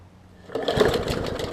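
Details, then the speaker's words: 2014 Bolens push mower with Briggs OHV engine, leaky needle and seat; very flooded, spitting fuel, catches and runs in rough uneven stumbling chuffs while purging fuel; running rich from flooding. "yeah i think it's literally just so much fuel it got in there that it's just trying to purge it out which i kind of needed to do that anyways"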